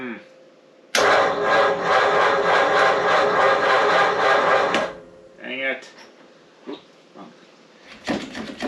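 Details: 1937 Ford taildragger with a 59AB flathead on a 6-volt system: a slow, laboring crank at about four turns a second for four seconds that never catches. Suspected bad new battery, possibly a shorted cell, and possibly a bad coil; unconfirmed.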